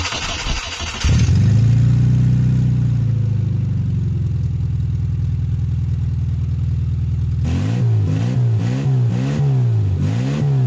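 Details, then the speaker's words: Classic Mini Cooper SPI, first start after sitting, with the exhaust system missing from near the manifold and a fuel leak seen: cranks and catches, then a very loud, raw, even roar with quick blips; the engine sounds healthy. "this runs and it actually sounds pretty I mean it's really loud but the engine sounds really healthy"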